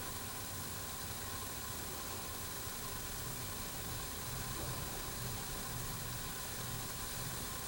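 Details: Jensen #5 electric steam engine warming up with new gaskets, no water leaks: soft steady hiss with faint sizzle, no knocking, as boiler heats and builds pressure normally.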